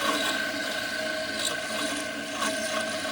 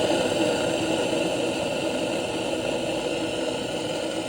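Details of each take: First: Failing air compressor (aerator) motor of an aerobic septic system, a cause of the yellow warning light: choppy, rattling hum with occasional squeaks, from bearings worked loose; a new aerator sounds smooth. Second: New aerobic septic system aerator air compressor running: steady smooth whirring hum with airy hiss, drawing air well, no squeaks or rattles, unlike a failing unit with loose bearings. Normal running.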